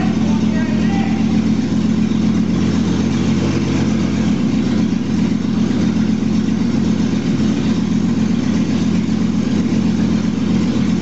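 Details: 2001 Jeep Cherokee Sport, first startup of the newly installed rebuilt engine running with an open exhaust manifold, no exhaust fitted. Loud, raw, steady idle with an even pulse and no knocking; it runs normally.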